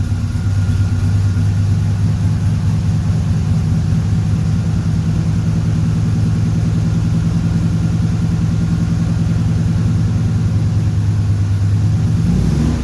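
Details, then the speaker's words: 1976 Corvette Stingray V8, sat 8–10 years, fresh fuel, new filter, fresh oil, just started after a no-start: deep, steady rumble sitting low and lazy with no rise. Idle speed a little low; idle screw to be turned up with a screwdriver. "Well, it seems like the idle's a little low. Grab a screwdriver and turn that up."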